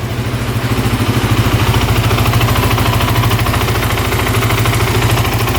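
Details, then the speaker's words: 2008 Kawasaki KFX450 quad bought sight unseen. A steady, even single-cylinder thump at idle, about three beats a second with no misses or knocks, no smoke and responsive throttle; no carb, fuel or oil leaks. A healthy idle. "all right that sounds really good wow no knocking no smoking wow very responsive wow sounds"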